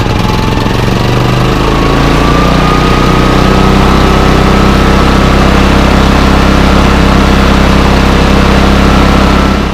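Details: Bailey 3700 W portable generator unused over a year, with a gummed carburetor, running on fresh stabilized gas: speed hunts and wavers with a rough, uneven beat. It surges in eco mode and is rough with eco off. Owner suspects weak spark from the old plug or bad gas. Engine surging.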